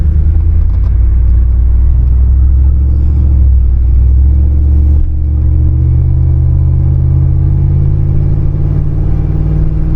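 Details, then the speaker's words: 2002 Ford F-150 on a test drive after new universal joints, fixing an earlier whine and vibration: steady low cabin rumble at cruising speed, no squeaks, clunks or steering-wheel vibration; healthy driveline. "Sounds good. No vibration in the steering wheel."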